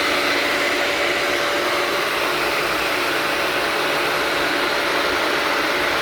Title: Pump doing loud noise